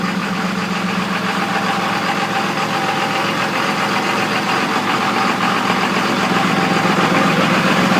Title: Rough Idle 2002 24v Cummins